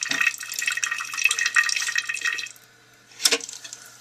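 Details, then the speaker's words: Toilet tank after a long-dry water system, dried-out rubber parts: thin steady hiss of water trickling slowly into tank, never filling fast; water leaking from underneath the bowl at a supply nut, valve heavily calcified. "Coming in slow, and there's water coming from underneath the toilet bowl."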